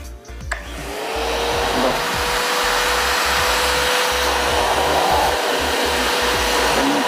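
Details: Multipro 3-in-1 budget wet/dry/blow vacuum cleaner, 650 W, 10 L tank, running during suction test: steady even motor whine with airflow rush holding pitch; fairly noisy but not excessively so, running normally.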